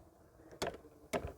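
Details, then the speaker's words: Torque wrench tightening the blade bolt on an old Yard Machines mower with Briggs & Stratton flathead engine to 45 ft-lb: two sharp clicks in a quiet room as it breaks over at set torque. "Tôi không biết bạn có nghe thấy điều đó hay không, nhưng nó nhấp khi bạn đạt đến mô-men xoắn thích hợp,"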